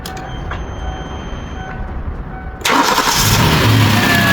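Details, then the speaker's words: Kia Carnival converted from diesel to a 6-cylinder 3-litre petrol engine, freshly started after the swap: dash chimes, prompt catch, even steady idle with no knock or miss; runs smooth, no detonation, normal idle. "Xudo xolasa yurishlari tekis. Detonatör degan narsa yo'q. Tanga qo'ysa tanga turadi xudo xolasa."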